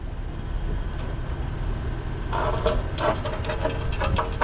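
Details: 2024 Acura MDX rolling, bright squeal in short repeated bursts over low rumble from the rear disc brakes; owner suspects rocks, cause unconfirmed.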